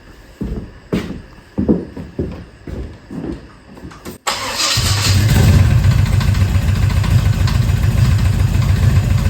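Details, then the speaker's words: 1970 Chevelle after big block swap: cranking bursts catch into loud rough idle with fast tapping about three a second, knocking; a rocker possibly out of adjustment, won't stay running, poor battery connection. "So now it got more consistent with idle. So one of these rockers could potentially be out of adjustment."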